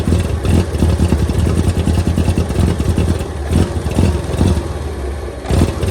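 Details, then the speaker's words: 1923 Franklin Model 10, first run after about 76 years: a steady low beat with loose mechanical clatter, some blow-by, and it is clearing up. It is running evenly and well. "okay so she runs really good"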